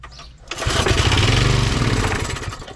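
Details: Briggs & Stratton 3hp I/C model 80212 on a Masport rotavator, choke off, throttle midway: catches first pull and settles into an even, steady chug without coughing or missing; normal start.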